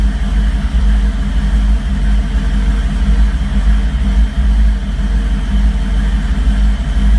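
Lumpy, uneven idle with the beat sagging and surging, plus a few revs. Rough running, cause not evident.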